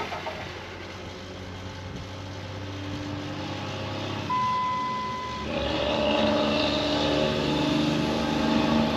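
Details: 2005 Ram 5.9 Cummins diesel, unrun for a couple of years, after replacing FASS lift pump filters; steady cranking at about three and a half turns a second that never catches, no-start as the lift pump isn't pumping or keeping up.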